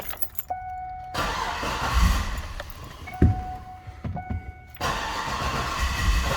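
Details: 2010 Cadillac Escalade after engine replacement, fuel pump not heard at key-on: chimes, then starter cranks in bursts and engine tries to catch but won't run; crank no start.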